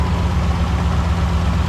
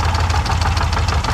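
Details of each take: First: 2005 Lincoln Aviator after replacing lash adjusters for a passenger-side top-end knock, oil changed to Motorcraft synthetic with Lucas oil stabilizer; deep, even idle with no ticking or knocking, valvetrain quiet and healthy. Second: 2005 Lincoln Aviator V8 idling with rapid, sharp top-end ticking in a steady beat, loudest on the passenger side; knock traced by screwdriver to the top end, a faulty hydraulic lash adjuster.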